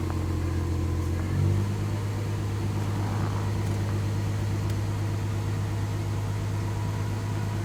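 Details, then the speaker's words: 1984 Jaguar XJS V12 just after auxiliary air valve rebuild (new spring, piston, gasket), cold; smooth steady hum at raised speed, no misses or knocks: normal cold high idle. "we're going to crank it up here and i'll show you how it will idle high at first and then it will idle lower"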